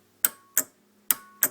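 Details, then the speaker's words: Gravely 424 tractor with a new starter solenoid, fourth post wired to ground: four sharp, crisp clicks in under two seconds, nothing dragging; the solenoid pulls in cleanly and works. "I guess my new flashy looking solenoid is uh ready to go thank you guys online"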